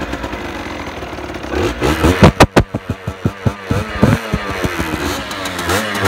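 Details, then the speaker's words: 2018 Beta RR 50 enduro, 50cc AM6 two-stroke, 6-speed, still restricted: catches quickly, gives a string of sharp rising and falling blips, then settles into a crisp, even burble. A normal start and idle. "Apparemment quand c'est débridé ça fait pas beaucoup plus de bruit, hein."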